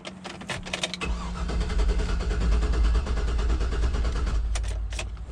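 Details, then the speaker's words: 2009 GMC Yukon with Vortec engine, crank no start: the starter cranks steadily with a few weak catches but never picks up; mechanic suspects no fuel. "that sounds like it wants to start. It sounds like it's pretty much firing without fuel, so it might not have fuel. Because it sounds like it's doing more than just turning over."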